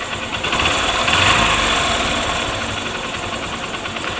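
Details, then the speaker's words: Honda Shine motorcycle idling after the cam chain tensioner was reset, following a timing chain replacement; smooth regular idle with even beat, the earlier intermittent chain rattle is gone; normal idle. "अब आवाज बंद हो चुकी है बिल्कुल भी time इनका आवाज नहीं रहा"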